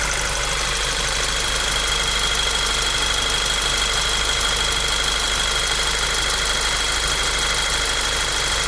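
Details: Golf 6 GTI engine at idle: steady idle with a thin, constant high-pitched whine above the engine note; source unclear.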